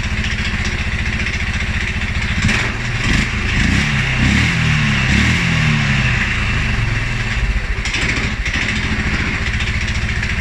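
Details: 2011 Polaris Sportsman 550 XP, EFI: single-cylinder thumping idle, a couple of quick revs, then idle sags uneven and lumpy; stumbles cold on startup and after riding or revving. Dealer found TPS, IAC, TMAP in spec; valves, timing, new plug, 43 psi fuel pressure good; cause unknown.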